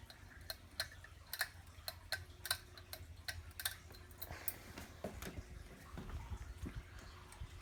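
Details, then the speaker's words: Hampton Bay Carriage House II 52-inch hugger ceiling fan, installed 2008, being floor tested and started on medium. Light, irregular ticks over a faint low hum as it spins up; the startup sound began since installation and its cause is unknown. "it's starting to have a bit of a startup sound it didn't do that back when it was installed"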